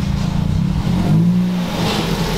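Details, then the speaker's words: Custom-modified Ford Focus started after sitting two years: engine revs up and settles smoothly with an even low drone and no knock, loose miscellaneous parts rattling up front; engine healthy, no check engine light, oil pressure good. "it's just miscellaneous things rattling. The engine sounds healthy. Yeah, it's just like miscellaneous stuff that's loose."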